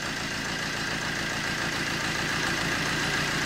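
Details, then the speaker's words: Vauxhall Corsa D 1.3 diesel with 80,000 miles and a new turbo, started from cold and levelling out at idle: light, even diesel clatter with a steady beat, no knocks or misfires, one of the quietest 1.3s heard; normal idle. "nice you know one of the quietest I mean I don't know how this comes across on camera definitely one of the quietest 13s I've ever heard these"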